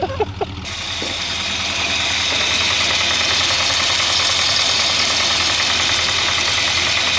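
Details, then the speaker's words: 1963 Jaguar Mk10 with Mopar 440, off road since 1972, warm idle at 70 psi oil pressure with thick oil: hard, even tapping about three times a second over loud hissy exhaust; owner suspects rod knock, was quiet earlier. "Picked up some noise, didn't it? Oh It was weird, it was super quiet. Rod knob."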